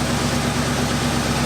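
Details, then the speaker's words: 1972 Cutlass after 33 years in storage, restarted: a steady, even idle with a smooth low pulse and no misses or stumbles. It sounds much smoother than before; initial timing was then checked at about 13 degrees. "it fed itself pretty quick go ahead that sounds so much smoother like"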